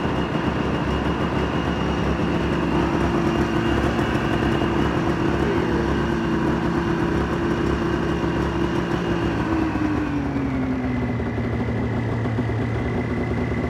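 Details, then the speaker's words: Polaris Ultra two-stroke after an oil change: fast, steady high idle that sags lower near the end, and it comes down when choked; owner hopes for dirty carbs rather than crank seals. The choke also needs fixing. "it does start it does run sounds good minus the high idle you can get it to come down when you choke it"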